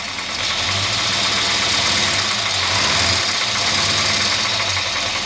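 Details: 1963 Jaguar Mk10 with Mopar 440, off road since 1972, idling on thick oil: rough idle with dull, regular knock beneath; owner suspects rod knock, noise appeared after being quiet at first.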